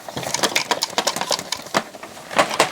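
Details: NAD 5325 CD player under repair: quick uneven bursts of light plastic clicks as the loader drive lifts the disc up and down, a rattle from loose drive-mechanism parts; a part appears missing or falling. Cause suspected, not confirmed.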